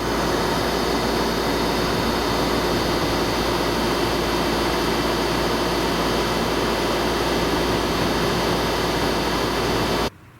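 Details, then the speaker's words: Pentair 140 pool heat pump before soundproofing, running: loud, steady droning hum with constant whirr, no rhythm; very loud running, owner says noise can come from the fan motor or the compressor. "so the noise I have is going to be coming from two places it can be coming from the fan if the fan motor is starting to go there's always going to be noise from a fan no matter whether it's a new motor or an old motor and right down in there is the compressor"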